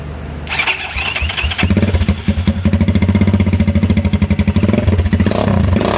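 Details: Venom X22R 250 single-cylinder motorcycle with newly installed 4-degree advanced flywheel key and 50-weight oil: catches right away, settles into a crisp even firing beat and climbs cleanly with throttle; normal start and rev, healthy.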